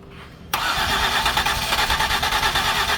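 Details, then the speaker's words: 2008 Ford Escape no-start with cleaned spark plugs and coil packs reinstalled, given throttle: cranks and stumbles unevenly, half-catching without settling; trying to fire but won't run, cause suspected, not confirmed. "it wants like it wants to yeah okay let me go check my door cuz I think I got somebody up front but I think we can get it to start"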